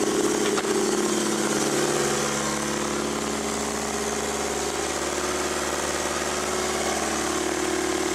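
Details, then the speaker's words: Mazda FB RX-7 with SR20DET swap and Wiring Specialties harness, no fans or throttle cable hooked up, after sitting under snow: catches straight away and settles into steady, even idle, no knocks or misses; normal idle. "so so uh starts right up every time thanks to that wearing specialties harness that thing's awesome"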